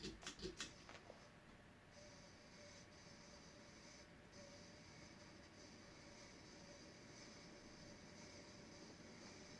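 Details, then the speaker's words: Design House Manhattan 6-blade ceiling fan on high speed: steady dry whir with thin high-pitched hiss; bearings getting worse, apparently the bottom bearing, needs oil (seemed stiff earlier). "Sounds like the bottom one. These AstroSyn motors are a little harder to oil than K55."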